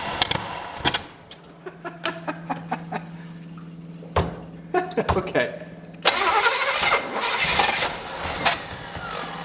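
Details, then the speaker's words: 1965 Buick LeSabre V8 sitting since 1989, first start after oil change and fuel pump installed: sharp bangs between cranking attempts, then a rough, popping run; owner suspects it is running lean, choke not staying on, maybe a blown power valve. "it's running lean and it's also just bam combusting so I don't know folks but that thing runs"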